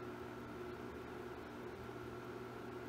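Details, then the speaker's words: Bridgeport R2E3 Boss 8 CNC retrofit, table servo jogging at its maximum 60 inches per minute: steady, even hum with a faint constant whine, no knocks or grinding. It handles the speed without problem and the drive is not getting hot; normal. "all right let's go to the fastest that it'll go right down the jog which is 60 inches per minute"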